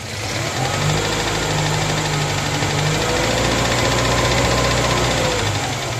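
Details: Moskvich 2140 four-cylinder at idle with an uneven, steady knock of about four a second over the engine note; source of the knock undetermined.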